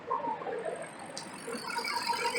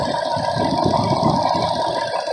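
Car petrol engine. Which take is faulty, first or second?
first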